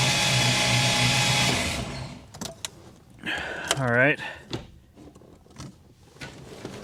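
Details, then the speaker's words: 1989 Ford Mustang GT Foxbody engine (not stock) cranked with coil unplugged and injectors disconnected to check valvetrain: fast, even starter churn, spins freely with no misses or scraping; turns over great, oil reaching top of engine; normal cranking. "tell you what the engine turns over great she sounds good we've definitely got oil to the top of the engine"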